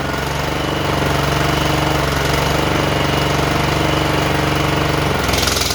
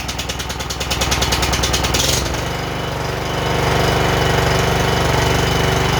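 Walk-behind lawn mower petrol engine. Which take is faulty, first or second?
second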